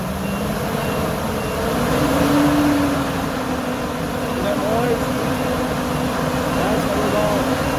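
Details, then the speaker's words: Workhorse chassis 8.1 Vortec with a test aftermarket fan clutch. Barely turning at 137 degrees, it finally locks up near 225 degrees, adding a steady loud rushing roar over the engine; normal fan clutch engagement. "but i'm assuming when we hit 205 it should lock up you just have to wait and be patient all right it's finally starting to kick in it took a while"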